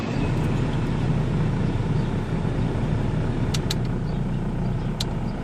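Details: Dodge Neon after replacing the side motor mount, which cured a rough idle and violent dash shake worse with AC on (throttle body vacuum cut also found): low, steady, even idle hum with no shake, knock or stumble, running smoothly.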